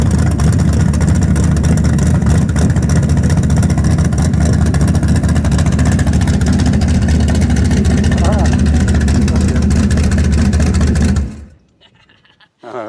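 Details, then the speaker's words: Karla's Camaro V8 started after the carpet and seat were fitted: an even burble at idle that rises cleanly with throttle and drops back smoothly before shutoff; a normal idle and rev. "pretty cool. Oh, it sounds so good."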